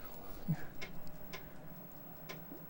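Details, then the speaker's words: Amiga 1000, 35+ years old, internal floppy drive after repair, trying to boot a Kickstart disk; a few isolated seek clicks and faint hum with no steady reading rhythm; drive sounds better but won't load, possibly a bad Kickstart disk. "So the disk drive sounds a lot better to me, but it's still having trouble loading."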